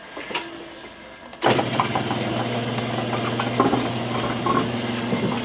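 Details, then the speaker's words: Lathe flat belt with splice covered in heat shrink tubing to quiet it: thump at motor start, then steady even hum with no rhythmic clicking from the belt joint, only slight motor hum; drive runs quietly. Normal belt drive running. "so there we go Fairly quiet and I'm just holding it by hand so I'll shut it off and shut the door"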